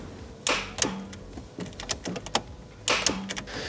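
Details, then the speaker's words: BMW E46 coupe after m52b28tu engine swap (MS43): sharp dry irregular starter clicks with no cranking; starter tested good, a forgotten connector was left off, reattaching it fixes the no-crank. "I'm really stupid, and I forgot to attach a connector. And now I can hear the starter clicking."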